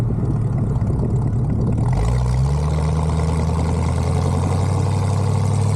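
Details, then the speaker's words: 1974 Bitter CD, Chevrolet 327 V8, warmed up, test drive under load after HT leads, cracked distributor cap, points and condenser replaced: clean pull from low burble to even drone, no stumble; misfire fixed, smooth acceleration under load. "under load now and yeah sounds sweet as it should y yep sounds good Happy Days"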